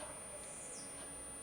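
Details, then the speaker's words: Homemade mini inverter (resistor, small chopper transformer, transistor) from 4.2 V 1S LiPo to 220 V AC, lighting a small energy-saving lamp: faint thin steady high-pitched whine that stops when the lamp is removed; oscillator singing at high frequency. "Escuchen, voy a retirarlo. Ahí dejó de sonar. Nuevamente lo voy a poner. Se escucha la alta frecuencia con la que está oscilando."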